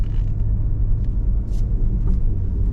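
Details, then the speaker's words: Jeep Grand Cherokee WJ after engine build, first drive around block at about 20 mph: steady drivetrain rumble, automatic shifts cleanly through first and second gear with no flare, clunk or slip. "so far we are driving there's first gear there's second gear"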